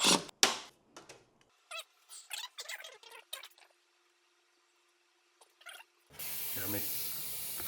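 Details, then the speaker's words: COZEWARE Visio 12000 BTU 20 SEER2 ductless mini-split heat pump during install, opening the indoor evaporator line: after quiet handling, a sudden steady rushing hiss as factory nitrogen escapes; pressure held from the factory. "All right, so that hissing sound, when they build these at the factory, they fill this with nitrogen. So if you hear that, that means the evaporator has held pressure the entire way from the factory to your house or wherever you're installing it. So that's a good sign."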